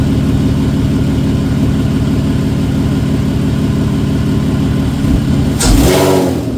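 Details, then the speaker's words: 1991 VW GTI with a freshly swapped 24v VR6, idling after first start: even, settled hum holding steady for several seconds, then a short swell near the end; runs cleanly and healthy. "I already started it once. It's running good."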